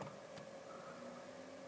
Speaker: that's the the fan at the front and they go up to full speed you hear the whne of that